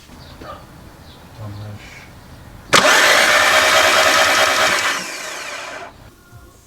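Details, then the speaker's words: Engine that snapped its timing belt, turned on the starter: spins up fast and whirs evenly with no compression beats, the sound of a snapped timing belt. "hear so that's basically what a timing belt when you're talking about snaps that's what the engine sounds like it just whizzes rounds"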